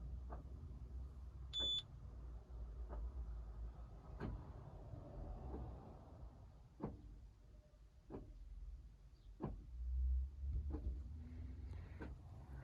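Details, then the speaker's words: Citroen C4 gearbox actuator, engine off with ignition on, during transmission programming with Autel Maxisys MS908S Pro (codes P1800, P0949): short whirs and sharp clicks every second or so as it selects gears itself; normal operation. "okay that's fine as you can hear it's selecting the gears"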